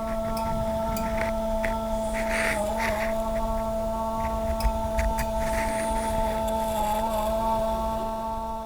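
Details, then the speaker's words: Bomem DA-3 FTIR spectrometer mirror drive motor, recorded at maximum gain: a faint, steady multi-pitch hum over low hiss. It is an odd new noise that the owner suspects is linked to spurious detector signal noise; abnormal motor whine. "It's a super faint sound. I had to boost the gain to max on that clip, but our spurious signal noise is back as well."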